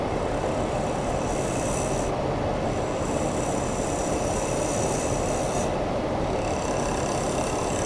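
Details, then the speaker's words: Workshop dust collector running beside a lathe turning cholla cactus, after being adjusted to run quieter: a steady heavy rushing roar with a churning, watery, toilet-like gurgle underneath; airflow turbulence is making the noise. "it's funny because i was trying to make it more quiet and it made it sound like a toilet"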